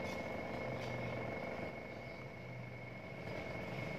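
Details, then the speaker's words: Washing machine spin-dryer motor that would not turn, tested with a substitute capacitor: even, steady high whirr, runs up fast and smooth with no knocking; motor is normal, fault traced to the bulging original capacitor. "hai muternya kenceng hai pertanda kalau dinamonya ini normalnya"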